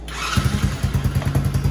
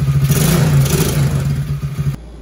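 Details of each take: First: Original engine on a TAO 110cc ATV, jump-started: it fires right up, then settles into a soft, lazy, weak thump; it idles but won't throttle up or pull a rider, with only 50 psi compression; low compression, so the engine is being swapped. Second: TAO 110cc ATV after a swap to a brand-new engine: single-cylinder revs up cleanly with a steady, even firing beat, then settles; no hesitation and much more power than the old low-compression engine; normal idle and rev.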